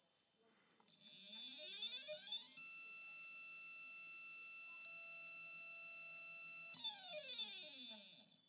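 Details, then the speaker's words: NEQ-6 Pro astrophotography mount after converting its gear train to belt drive, microphone on the side of the mount: motor pitch ramps up, holds a steady high whine, ramps down, no grinding or rattle; quiet, normal stepper slew. "gotta love that sound that's so quiet"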